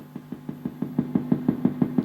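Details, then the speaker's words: La Macchina del Tempo tap tempo delay guitar pedal (Fattoria Mendoza) under repair: sharp clicks about six a second in time with the blinking tempo LED, LED supply noise leaking into the audio; LED switching noise. "say click click click click click and it's related to the lead"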